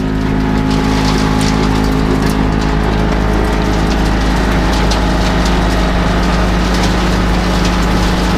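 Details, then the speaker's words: IH 51 forage wagon behind a tractor, after a front axle repair: steady tractor drone with irregular woody cracks and crunches as the bed moves, caused by ears of corn left at one end jamming through the beaters. "Oh yeah. Ah, haha, that's what that noise is. There's ears of corn still in here down at that one end. That's that noise."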